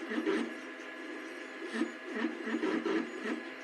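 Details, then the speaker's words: Two Trees Bluer Plus 3D printer extruder after reassembly of the feeder gears; quiet gear chatter rising and falling with each move, meshing noise between nylon spur gear and stepper motor gear, suspected mesh set too tight. "It's more a meshing noise between the nylon gear and the metal gear that's on the stepper motor, and that's probably because it has a little bit of a either play, or it's a little too."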